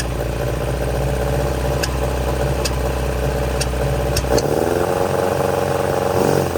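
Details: 1966 Volvo Amazon 122 estate, abandoned and first started after sitting, using a jump. Engine revs roughly with several sharp, irregular pops. Owner suspects a lean backfire, possibly from running out of gas.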